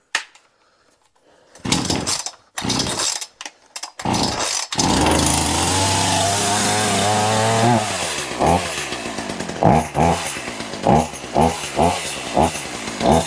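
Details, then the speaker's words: Poulan Pro two-stroke chainsaw, cleaned up for the new season: pull-start attempts and a few pops, then it catches and runs with a buzzing idle and even throttle blips. Normal running. "oh that don't run too bad"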